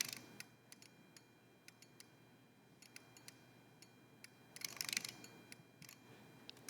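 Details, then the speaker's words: Apollo DSKY (display and keyboard) under restoration, microphone held to the unit during a lamp test and display change: sharp, dry relay clicks in irregular bursts over a quiet hiss, surprisingly audible from the pressurized enclosed box; normal relay operation. "we weren't expecting the relays to be so audible um we had no idea we thought that since it's in a pressurized enclosed box they might not be but it makes a really really satisfying sound uh when it changes the display"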